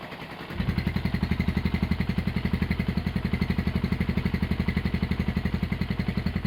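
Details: Honda GL100 (GLK 100) CDI single-cylinder engine, with idle raised: it catches and settles into an even, steady thump around four beats a second with no ticking or clatter. Healthy idle.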